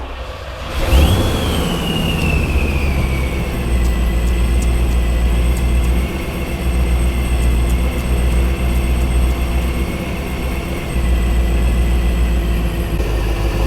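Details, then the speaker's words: Supercharged Corvette, first start after installing an MSD Boost Timing Master with boost line to the intake: engine catches with a rising whir, settles into a deep, steady, even idle with faint constant whine; sounds healthy. "That sounds good. Ooh, it smells good too. I like it."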